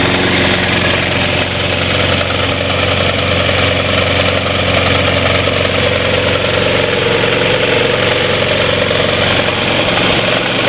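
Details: Snapper Big 6 P216012 self-propelled mower: a constant harsh metallic grind over the steady engine drone. The worn-out drive wheel's metal is rubbing against the pulley; a new wheel is the fix.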